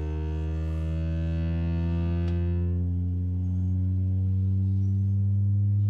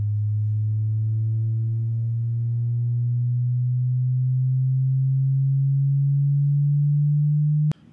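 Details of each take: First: Driver's-side door speaker on a 2007 Ford F250 Crew Cab (6.0L turbo diesel), played with a test tone; the deep bass comes out buzzy and harsh, the speaker distorting and rattling. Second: so that speaker has a pretty good range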